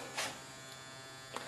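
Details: HPS grow lamp just switched on and heating up: steady electrical buzz with a harsh, hum-like edge that never lets up; buzzing from the lamp and ballast during warm-up.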